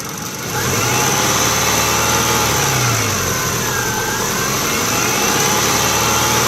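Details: Subaru: steady idle with uneven, wavering low throb rising and dipping rather than holding even; rough idle, cause not determined.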